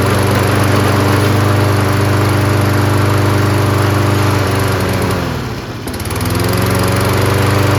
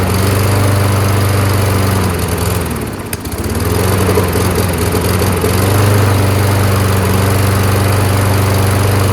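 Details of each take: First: Toro 22-inch Recycler mower with Kohler engine, new HIPA replacement carburetor fitted; smooth, steady drone dips briefly around five seconds and recovers cleanly. Normal running. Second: Toro 22-inch Recycler Kohler mower on new HIPA carb, running on gas; steady, even drone after a brief dip, keeps running after release because the rusted semi-metallic flywheel brake pad isn't grounding the kill. Engine fails to shut off.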